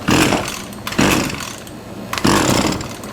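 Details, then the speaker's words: Trash-picked Husqvarna 223L two-stroke string trimmer, likely late 1990s/early 2000s, on starting fluid: three rope pulls, each catching for a short ragged burst that dies at once; fires only on starting fluid, owner suspects carburetor issues. "all right it costs so i mean it is capable of running we probably just have like everything else carburetor issues"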